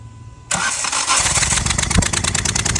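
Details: Alto K10 BS6 misfiring at idle with a very rough exhaust note: cranks and catches, then lumpy idle with skipping beats; scan shows bank 1 system too lean fault, spark plug appears fouled (diesel-like contamination), faulty injector blamed.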